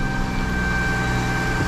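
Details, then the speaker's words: 2005 Isuzu SUV, after misfire repair: steady, even idle with smooth constant hum, no skips or stumbles; misfire gone, all cylinders firing. "[Music] all right so clearly now our misfire is gone"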